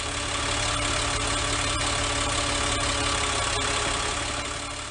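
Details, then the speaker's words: Caterpillar engine with HI300 HEUI fuel system, running normally at low idle, desired injection actuation pressure about 870 PSI: steady low idle with busy, even injector clatter and a deep throb, normal noise and variability. "this engine is running normally and illustrates both the expected noise and variability of a properly running engine now let's start the engine and listen to what it sounds like at idle for a few seconds"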